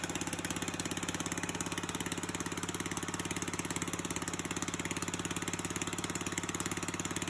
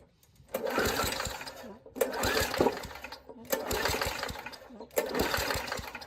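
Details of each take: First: 3.5hp Tecumseh (1989–99, solid-state coil) on an old Murray push mower, after a carburetor rebuild, hand-cranked: it pops along at an even, steady beat with no misses or knocks. Normal running. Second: Old Murray push mower, 3.5 hp Tecumseh engine (about 1989–99), after a spark plug swap and shots of gas: four rough pull-start bursts, coughs but never catches; owner suspects the carburetor is shot.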